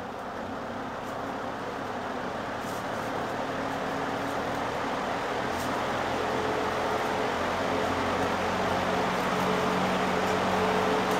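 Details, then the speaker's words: 1958 Westinghouse 20-inch two-speed box fan on low speed: steady even rush of air with a faint low motor hum, no rubbing or rattle; running smoothly. "this is one powerful fan let's start it up and see how it runs we'll start on low"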